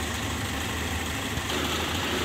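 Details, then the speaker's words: 2000 Toyota Kijang LGX 1.8 EFI: steady, even idle with a smooth low hum and no knocks, ticks or misses; engine condition is very good, with no problems on the road. "untuk kondisi mesinnya seperti ini ya Lur untuk kondisi mesin sangat bagus ya tidak ada trouel-trouel di jalan"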